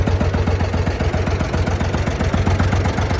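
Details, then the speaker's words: Massey Ferguson 135 petrol tractor after replacing three bad spark plugs that caused a misfire: the engine idles smoothly with a steady low beat and no missing. "and smooth so that was the problem with the tractor that is not doing any missing"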